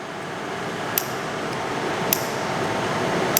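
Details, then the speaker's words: Custom machine-shop coolant system: three sharp, loud clicks over a quiet room hum as the float sensor toggles the water solenoid (full tank shuts it off, empty tank opens it). This is normal solenoid operation. "quite a loud click yes so right now the tank is full when the when this drops and the tank is empty light goes on solenoid clicks open"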